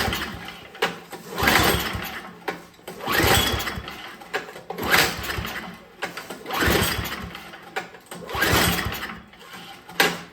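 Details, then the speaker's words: Older MTD Yard Machines snow blower with Tecumseh 5 hp engine, oil full, fuel on, full choke, primed: repeated pull-cord cranking about every two seconds but it never fires. Spark confirmed, so carburetor fuel-delivery fault. "all right we got spark that's good so we have something Carberry related going on"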